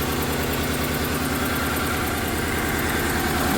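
Rough, lumpy idle with an uneven beat and a repeating stumble over the engine note, a dead-cylinder misfire from a burnt exhaust valve.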